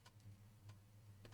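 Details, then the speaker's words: 1993 Panasonic SL-S441C portable CD player, battery-damaged after years in storage, first try: faint quick drive ticks over a steady low hum as the disc spins; reading and playing, though it skips. "I can hear the mechanism working. I'm rather surprised by that."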